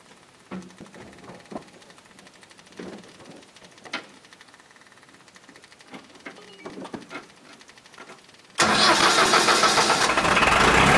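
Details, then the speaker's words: LS XR4040 tractor diesel after purging water from the fuel system and re-priming with the hand pump: quiet clicks, then it catches at once and settles into an even, steady run; normal start and idle. "Okay, so it starts. I'm assuming that's all set."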